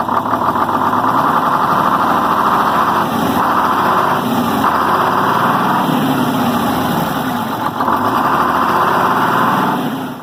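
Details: 74-year-old Greyhound bus diesel during fuel-system work to get fuel to the injectors: it settles into a steady, even idle with no misses or knocks, running fine once the air is bled out.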